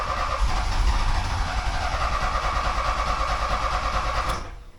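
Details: 1979 Porsche 924 being restarted after the distributor was apart: steady starter cranking about three turns a second for over four seconds without catching; the distributor was installed one cog off, putting ignition timing out, so it is hard to start.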